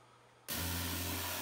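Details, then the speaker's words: Battery-powered Parkside pressure washer used daily for 7 weeks, spraying deionized water; clicks on with green light, then a steady motor/pump hum under even spray hiss with no surging; normal running. "switch it on green light goes on and you can hear the compressor whatever it's not a compressor whatever is running in that it motor or whatever"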